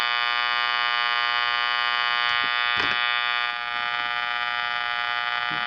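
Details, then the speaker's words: Channel Master 6505 five-transistor AM table radio under repair, capacitors being tested: steady, harsh electrical buzz at one pitch with faint pulsing; persistent fault noise, cause not yet found. "Try to see if we can uh get a different This is driving me crazy. That noise. I can't take it."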